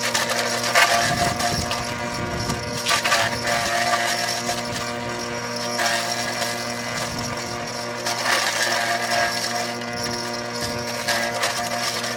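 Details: Forage chopper (Trapp) with a motor noise problem: steady motor hum with loose, irregular rattles and bursts of clatter every few seconds; something in the motor or drive is not right.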